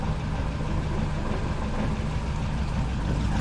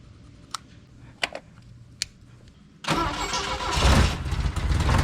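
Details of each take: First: Saab Sonett idling after a leaking exhaust joint near the starter was tightened: a steady low rumble with an even beat and no chuffing or ticking. The exhaust leak sounds solved, at least for now. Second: Cold Saab Sonett petrol engine starts and idles roughly, its low beat wavering and not where it should be, with lots of loose parts rattling; an exhaust leak is also heard; during post-trip service after distributor cleaning.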